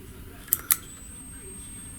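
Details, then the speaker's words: FNIRSI 1013D portable tablet oscilloscope: three sharp, dry clicks over about 1.5 seconds, probably as it switches measurement ranges; normal range-relay clicking. "ось де воно клацає мабуть міняє діапазон вимірюваньня якщо почуєте під час"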